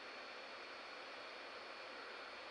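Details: Chuwi CoreBook X Pro laptop under OCCT stress test with the CPU at about 66°C: a steady, high, thin whistle over soft fan rush, pitch holding level. The cooling fan whistles under load.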